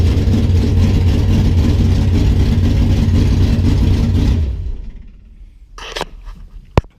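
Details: 1973 Duster engine idling before shutdown after reinstalling resurfaced heads: steady even low rumble, no knocks or ticks; sounds good, small valve cover gasket leak to tighten, owner hopes no more water in the oil.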